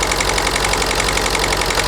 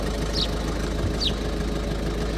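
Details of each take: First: Ford Focus 1.6 TDCi at just over 1500 rpm: lumpy, uneven diesel clatter with heavy pulsing beat, aggressive misfire; unplugging injector 1 changes nothing, so injector 1 suspected faulty, running on remaining cylinders. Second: Warm 2011 Ford Focus 1.6 TDCi diesel (suspected injector problem) after 10 minutes idling: even, steady clatter with no dips, misses or hunting; normal idle, though it later chugs with a slight misfire.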